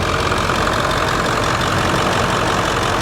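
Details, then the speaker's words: 1999 Ford F350 7.3L PowerStroke turbo diesel, about 200,000 miles, warm idle during blow-by test: steady, even diesel clatter with no misses or knocks; no blow-by, clean oil and trans fluid, no leaks; solid healthy engine. "nothing there's no blow-by at all and it's nice and warm look at that no blow by that's a solid motor guys"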